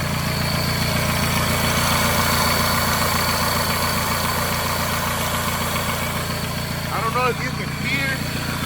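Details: Whine from A/C compressor clutch pulley bearing (part 35BD219DUK) over smooth idle with A/C off; goes away with A/C on, grease didn't help. A/C compressor clutch pulley bearing whine.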